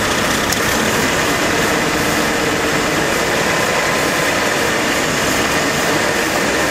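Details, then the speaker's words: AMC Eagle carbureted engine after nutter bypass, vac advance moved to manifold vacuum: fast, even, roaring idle that never drops back. Owner suspects choke issue (electric choke possibly on backwards) or a vacuum/intake manifold leak; any throttle goes full throttle. "plus i need to figure out where the [ __ ] that vacuum leak is that that's the only reason why i could think of why it would idle up with more coke"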